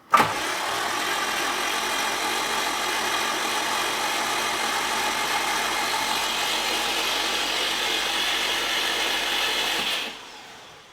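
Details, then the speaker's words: 2003 Subaru Impreza WRX, rebuilt engine just installed with fresh oil, cranked without spark plugs or coil packs: even starter whir about ten seconds with no firing, no odd noises — normal cranking. "so turns over everything sounds good"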